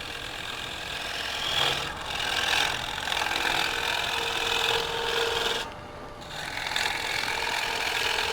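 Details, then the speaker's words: Woodturning lathe cleaning up a platter before sgraffito: raspy, uneven scraping from the cut with a fluttering chatter from the tool as it skims the surface; tool chatter. "here you can hear the chattering from the crab so this might be a design"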